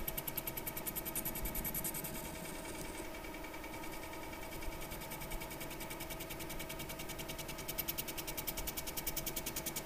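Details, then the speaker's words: Mini mill surfacing epoxy on a magnetic clock face: steady motor whine with fast, uneven rattling chatter as the cutter skips over the uneven surface while leveling it. "can hear it's chattering because it is uneven so this is going to be leveling it out for sure"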